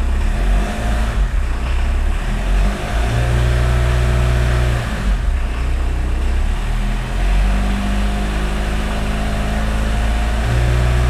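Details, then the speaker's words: 1981 VW Rabbit pickup, 1.6 turbo diesel, after refitting and tensioning the accessory belt: rumbles low and climbs smoothly on each rev with no high squeal; belt squeal appears gone. "give it a little bit of a reverse well I think the squealing is gone"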